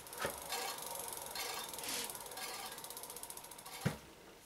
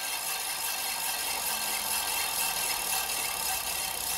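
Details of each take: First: Scooter disc brake after adjustment: quiet freehub ticking as the wheel coasts down, no scraping, rotor running clear; pads still need bedding in, cable may need retensioning within 100 km. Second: Hand-spun scooter wheel, disc brake just re-adjusted: a light, hissy scrape comes and goes each turn with faint ticking, the bent rotor catching the pad.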